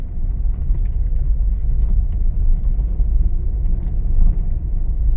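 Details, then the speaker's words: Honda Mobilio test-driven on a rough village road after tightening loose stabilizer links: only a smooth, low tyre rumble, no knocks or clunks like before; suspension is now quiet. "Sudah nyaman ya Bro Ya enggak ada bunyi seperti tadi"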